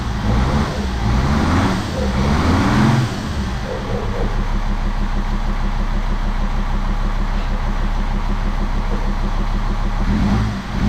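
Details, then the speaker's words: Jeep WJ Grand Cherokee 2.7 CRD diesel with injector problems: brief rev, then rough, loping idle with an uneven beat like one cylinder missing, lots of black smoke; owner suspects a diesel leak, not confirmed. "Just black smoke everywhere, but at least it's running. That's all we wanted. Sounds like a bit of a miss, so let's look for a diesel leak."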